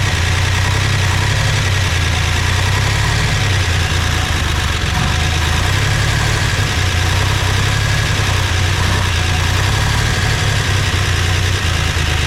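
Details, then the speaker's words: 1961 Chevrolet Corvair flat-six at its first start after spark was restored: loud, even low rumble with a steady beat, no misses or knocks, a little expected smoke; idles smoothly. "yes yep a little bit of smoke which shoot man that's expected it's going to be a while before these things recede right in but now we now we know this thing's a runner"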